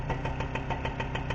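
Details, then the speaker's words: Rebuilt MBK/Motobécane AV10 two-stroke moped engine on a workbench, first start: even idle with a light metallic rattle about six times a second from the wooden wedge and bench vibrating on jack stands, not the engine. "There, the noise is the wooden wedge and the workbench vibrating on the jack stands."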